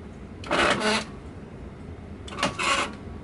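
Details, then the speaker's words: Rock-Ola 5000 CD Gala jukebox page motor after gearbox cleaning, reinstalled: two short strained grinding whirs; unit was pulled down too low so gears meshed too tightly, fixed by moving it back into operating position. "okay it is it it is way too tight right now okay so it was mainly tight because I had it pulled down it's not meant to operate in that position"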